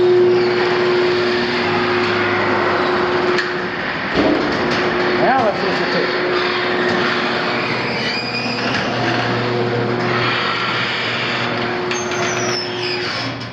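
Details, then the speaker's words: Garage door opener on an early-1960s North Texas flipped house during a home inspection: loud, steady motor drone with continuous rattling throughout, far noisier than it should be. "park in the driveway because you're not going to sneak back into the house with that."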